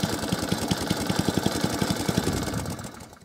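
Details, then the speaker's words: Small single-cylinder cylinder-mower engine after a quick fix to a leaking carburetor's rubber seats chugs at an even beat with a very slight miss or hunt; this carb type is known for that, so it is normal running. "y're very small a very very small miss there or a hunt very small see the arm just flat away ever slightly but we still all okay they are known for that"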